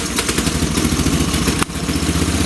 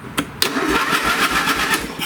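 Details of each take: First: Old late-1980s/1990s single-cylinder lawn tractor on fresh gas, fuel valve on, running rough and lean once off choke; mixture screw being turned out further, about two turns, for a lean fuel mixture and poor running off choke. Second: Old late-1980s/1990s lawn tractor right after a used safety switch replaced the broken one and is tested via the brake pedal: the starter engages at once, spinning the engine with a brisk, even chugging rhythm; normal cranking, though the carb later floods.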